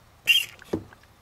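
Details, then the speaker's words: Engine-off check on a 25cc Craftsman/Poulan leaf blower that won't start (fuel slow to fill, ethanol-crumbled fuel lines): pressing the primer bulb gives a quick wet spit and hiss from the carburetor overflow, then a soft pop as the bulb releases; primer and overflow seem to be working. "I believe this is working okay because when I push down this side here the Overflow it's it spits out or you can hear it make noise"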